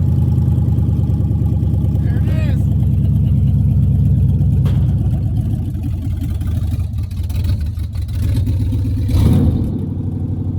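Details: 1975 Chevrolet Suburban with swapped 6.0 LQ9 LS V8 from a 2004 Escalade, first start with no exhaust and no cooling system: loud raw V8 rumble catching and settling into a fairly even idle, no knocks; normal first start.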